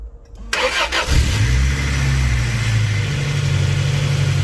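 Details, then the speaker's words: Toyota Previa/Tarago/Estima (TCR, 1990–1999), first start after a cylinder head gasket replacement with timing set. A short crank, then it catches cleanly and settles into a smooth, steady idle. A healthy start. "otherwise smooth you see beautiful beautiful running engine so nice"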